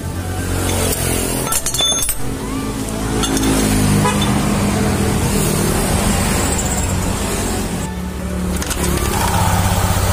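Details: Honda Vario 150 LED (K56) scooter after cleaning and reassembling the CVT, which had a harsh knocking noise on initial throttle: revs up with an even drone, no roar, rattle or grinding; CVT runs smoothly again.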